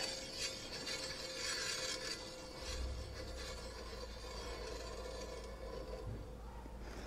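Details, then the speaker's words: Kawasaki Z900 front wheel spun by hand: continuous light scraping and rasping with faint steady ring; something rubbing the free-floating brake disc, owner suspects ABS sensor or wheel bearing, unconfirmed. "so that scraping noise is where metal rubs or something rubs against the disc because they ring because they're free-floating these pads"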